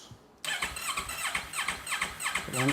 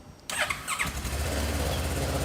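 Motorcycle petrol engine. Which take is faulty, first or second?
first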